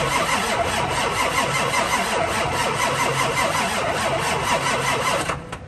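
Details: Ford F550 7.3L Powerstroke diesel, parked years after running rough, cold morning, new batteries but corroded cables: about five seconds of cranking with uneven, lumpy cadence, two to three pulses per second, no firing; low compression suspected, not confirmed.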